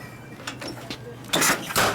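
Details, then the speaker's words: Newly built 1959 Harley-Davidson 74ci panhead with a 38 Mikuni carburetor, choked and primed, being kickstarted: two sharp pops with no catch, so it is very hard starting. The owner guesses weak rings give too little carburetor draw and suspects flooding. "we've got a pop come on come on ain't doing nothing huh unbelievable man"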